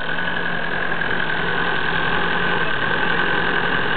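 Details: Diesel engine, cold and smoking, just after a fuel filter change: steady idle with loose uneven clatter and a high-pitched whine; owner suspects the pump.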